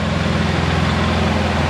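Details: Polaris Sportsman 700 ATV idling warm after a head gasket replacement and radiator swap; thermostat open at about 163°F, coolant circulating, not overheating. Steady, even low-pitched idle with a smooth unbroken beat, no knocks or misses; healthy idle.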